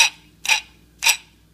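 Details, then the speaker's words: Defective throttle control motor from a 2JZ-GTE Toyota Aristo throttle body (P1128 throttle lock malfunction code), turned by hand: three sharp, light ticks about half a second apart, the clutch slipping instead of engaging; replaced with an OEM motor. "go fast obviously there's an issue with the clutch in there it's not spinning the electric water I don't feel resistance like I'm turning armature and brushes and all that this is just a clutch you can hear it"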